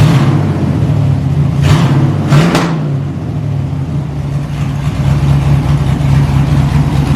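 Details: LS-swapped S10 drag truck with stock 5.3 V8, small cam and small radiator: deep choppy idle with quick blips rising and falling cleanly, no knocking; healthy-sounding cammed engine.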